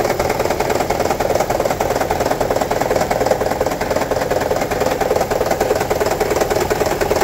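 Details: 2009 Toyota Prius 1.5 hybrid at idle, check engine light on, P0304 code for cylinder 4 misfire: heavy even rattle about three per second with a stumbling beat; coil swap ruled out; shorted spark plug and low cylinder 4 compression found; fixed by replacing spark plugs.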